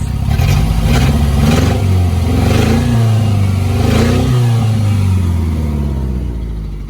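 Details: 1990 Mitsubishi Mighty Max, after Seafoam and a new fuel filter but still on old spark plugs: uneven idle pulses with an odd skipping beat under a smoother rumble; misfire at idle attributed to worn spark plugs.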